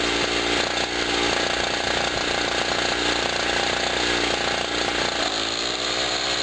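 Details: Generator after its first cold start of 2016, having sat about a year, under electrical load from a 40 W bulb, with a noisy air pump running: a buzzy two-stroke note holds steady speed with the pump clattering alongside. Normal running under load.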